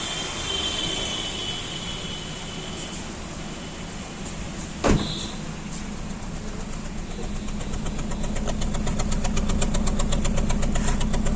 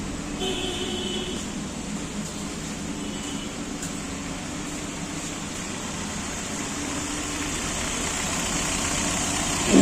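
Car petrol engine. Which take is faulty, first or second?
first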